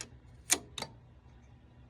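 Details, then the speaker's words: Tektronix 577 D1 curve tracer after replacing bad 2N2222 transistor (with 2SC3206), two 15uF caps, cooked 400V diodes: two crisp relay clicks at power-on over quiet hum; relay now pulls in, fixed. "So it was that transistor cuz now that relay clicks when I turn it on."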